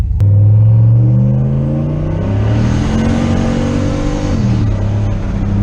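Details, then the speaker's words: Turbo V8 with eBay dual-stage electronic boost controller, part throttle held in gear to avoid wheelspin: deep even rumble climbing smoothly, no flutter or knock; about 5–6 psi boost. "Alright, that looked like right around 5 or 6 pounds. I don't know if you can tell here, guys, but I'm not going wide open throttle."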